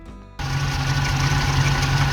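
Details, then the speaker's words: Ex-NZ Army V8 Land Rover (NZ 341) fully reassembled after Mallory ignition replacement (coil, optical unit, cap, rotor, ballast resistor, new distributor wiring): catches and settles into a steady, even idle, no misses or knocks. "Right, she's all back together again and running."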